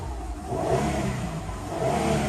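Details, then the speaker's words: Mazda Tribute LA4A-EL (Ford CD4E) automatic on a hoist, with dark, burnt-smelling fluid, possibly overfilled. Shifted into Drive and Reverse, the engine flares up and down with no load taking hold: the transmission slips with no drive, suspected blocked internal filter. "can see that's in Drive it's completely rything and there if I flick it back into reverse as well no movement as well"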